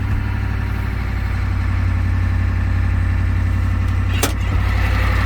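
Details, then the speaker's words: Ford 6.9 IDI diesel dump truck just started on starting fluid after high-torque starter install: heavy, irregular clatter about four beats a second, rough idle; air intrusion suspected, not confirmed. "sounds like we've got some air intrusion too"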